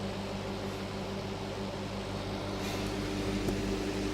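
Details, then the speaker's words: Roadside microwave after arcing stopped, possibly dirt inside the cover; transformer hums steadily with fan, no crackle or popping over road noise while heating normally. "Seems to be working fine now. Maybe it was just a little bit of dirt inside of the cover. I can hear the transformer humming, so it's heating up."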